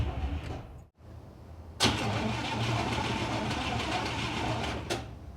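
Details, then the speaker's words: 1956 Cadillac that sat for years, cranking with a new battery after the old one was dead and the distributor power wire removed: brisk, even cranking of about three beats a second with no drag; normal cranking. "See, this is what it should sound like. Well, you can't even hear the crank."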